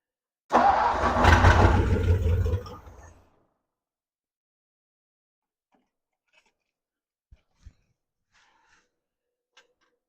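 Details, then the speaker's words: 1957 Ford Thunderbird parked 50–60 years, start attempt with a bad fuel leak at the carburetor base plate/bowl: engine catches, runs roughly about two and a half seconds, then stalls; carburetor work needed. "down what we got our honor that's exciting I obviously have some carburetor work to do"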